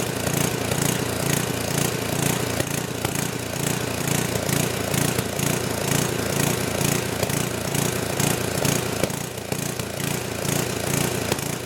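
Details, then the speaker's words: Old 10 hp gasoline generator converted to LPG using an aftermarket regulator, choke open: an uneven galloping beat of about two pulses a second with occasional backfire pops. It is surging and suspected lean, possibly not drawing enough fuel. "So, it's not running perfect. It's got a little gallop to it and a little backfiring, which kind of indicates like it's lean."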